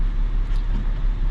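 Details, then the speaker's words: 2004 BMW 325xi inline six, replacement engine with new spark plugs but original ignition coils, about 17-year-old car: deep, lumpy idle with uneven beat and stumble; cylinder six misfiring, suspected failing ignition coil. "but cylinder six is misfiring when i put the engine in i put new spark plugs in it but we did not put new ignition coils in it"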